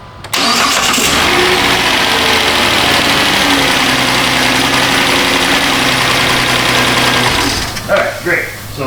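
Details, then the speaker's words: 2010 Chrysler Town & Country 4.0, restarted after key cycling, possibly still slightly flooded: brief crank, catches quickly, settles to an even steady idle; starting problem seems fixed, coolant sensor still to be replaced, EVAP issue remains. "that seemed to fix this ladies starting problem however it still has an EVAP issue we'll have to check into that"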